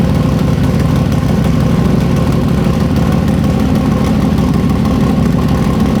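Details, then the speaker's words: Freshly built, not yet broken-in carbureted 421 small-block Chevy V8 for an S-10, first start: deep, even rumble at steady idle with no knocks or misses; sounds good and crisp. "It does sound good. It hasn't broke in yet. Dude, it sounds good."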